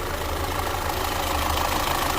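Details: Audi/VW with EPC light and engine shake, codes including P0341 camshaft position sensor correlation bank 1, sensor suspected: low, steady idle drone with slight unevenness; rough idle, cause not confirmed.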